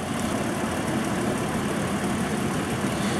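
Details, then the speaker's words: 2009 Toyota Tacoma idling, running rough under load with an occasional cylinder 3 misfire under brake torque: a slightly lumpy, uneven beat over a steady rumble. Current ramping shows the cylinder 3 ignition coil shorted, so a bad coil. "can go to another cylinder that one is good as well so I'm pretty certain I have a bad ignition coil"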